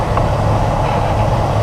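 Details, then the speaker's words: 2006 Ford Expedition with a newly replaced AC blower motor on high speed, drawing about 15–17 amps: loud, even rush of air with a smooth low hum and no ticking or scraping; the new blower runs normally and strongly. "i'm gonna turn this upright you know it has enough power to go up right now it's really looking good that's the way it's supposed to look"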